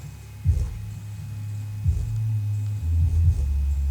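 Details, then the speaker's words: Subwoofer after repair, its split paper cone reglued around the edge, having knocked whenever bass hit: deep bass thumps now come through clean with no buzzing or rattling; normal playback. "no rattling all right i guess we'll see on the next one"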